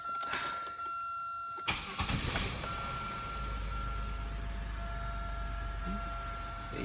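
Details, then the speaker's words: Buick Century engine after lower intake gasket repair for coolant leaking into oil, fresh oil and fluids: door chime, starter turns and engine fires promptly into a smooth, even idle with a steady low hum; normal start and idle. "purred like a kid"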